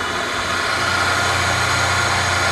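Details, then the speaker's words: Webb Wahcheon lathe at 1800 rpm, 60 Hz, run off a VFD on 220 V single phase after a 20-second ramp-up: steady even hum with smooth hiss, no knocks or surging; normal running. "never get taken off so I mean that's taking the full timeframe but there it is 1800 rpm"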